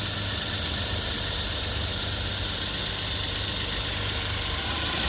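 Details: Hyundai Genesis after throttle body replacement for P0638 code with weak acceleration and rough idle: steady, even idle with a constant hiss, no misses, knocks or hunting; running normally.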